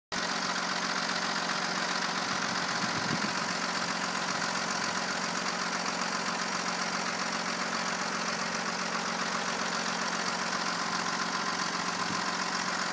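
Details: Opel 3.0 CDTI Z30DT diesel at idle after oil change to Mobil 1 0W-40 and new timing belt with tensioner pulleys: light metallic ticking about two or three a second over a steady idle; owner asks whether this is within normal.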